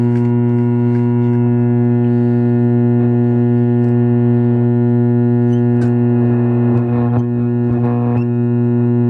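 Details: Lafayette vintage tube radio with magic eye tube, first power-up with suspect power cord before restoration: loud, steady low mains hum with buzzy edge over faint station noise, diagnosed as a bad power-supply filter capacitor.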